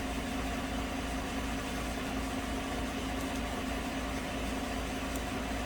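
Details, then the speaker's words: 2015 GMC Sierra 5.3 V8 that came in with rough idle and codes P0171/P0174, the MAF under-reporting because of tissue paper in the sensor: after about 15 minutes of running it idles smoothly and evenly with no misses. "so it's been running now for about 15 minutes seems to be running just fine"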